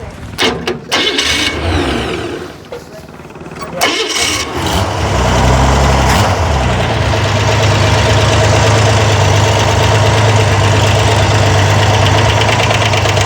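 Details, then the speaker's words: Corvair engine on a run stand during valve adjustment: even idle with quick light ticking clatter from excess lash, about three per second, heard right after the adjuster is backed off past zero lash, before tightening it until the clatter fades. "Well, there's the clatter you hear. You want to wait a second, make sure the clatter doesn't go away."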